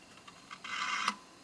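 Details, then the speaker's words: 1999 Toshiba Portégé 3110CT laptop, first power-on after fifteen years in storage: a few faint ticks, then a scratchy, chirping half-second whir as the original mechanical hard drive struggles to spin up. Abnormal hard drive noise; it later started working. "But that hard drive sounds terrible and over here we get a close-up look at the BIOS."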